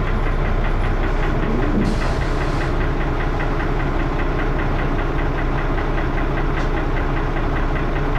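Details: Diesel bus engine (First Manchester Dennis Arrow, fleet 31923, P423PVW), rough uneven idle with a loud low knocking thump and heavy clattering thrash throughout; loud engine knock, cause unknown.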